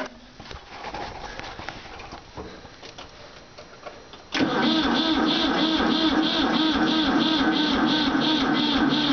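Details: Ford 4000 tractor with Select-O-Speed transmission: starter churns the engine steadily at about four compression beats a second, but it never fires or picks up; cranks, no start.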